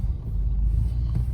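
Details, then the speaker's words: 2003 Mini Cooper S 6-speed on a test drive after replacing both front CV axles (the driver's side had been noisy). Only low steady road rumble, with no clicking or knocking from the front end; the axles sound healthy. "well, no clicking at all. Nice and smooth. Okay."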